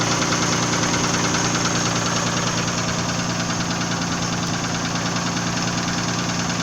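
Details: Nissan VG30E engine knocking at idle, a regular knock about three per second over the engine note; owner is asking what is knocking, cause unknown.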